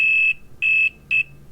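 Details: Pad continuity test on a water-damaged iPhone X logic board during 1X camera repair, noise suppression off: three clear high-pitched quarter-second beeps; meter shows continuity, so the pad connection is good.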